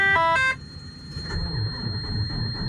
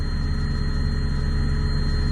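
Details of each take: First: Diesel truck at -37°, plugged in, cold start: a few seconds of cranking, then it catches at once and settles into a steady, even low idle with no misses or knocks. This is a healthy cold start, with some whining afterward. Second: Diesel truck plugged in, just cold-started at minus 37 and idling: a thin, steady high whine over the deep idle rumble, "everything's whining"; source unknown.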